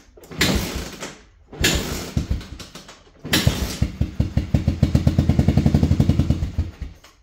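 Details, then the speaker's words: Honda FourTrax 250 single cylinder on starting fluid sprayed into the carb: a few cranking bursts, then it fires and chugs steadily about three seconds before dying; a fuel delivery problem is suspected, not confirmed. "spray a little bit of something something into the carb just to see if she pop off all right well let's see if we can get this thing to pop off"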